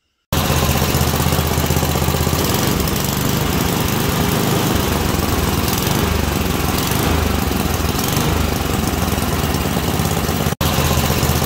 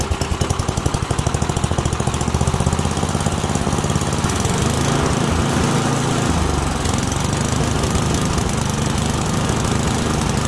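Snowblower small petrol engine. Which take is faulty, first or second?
second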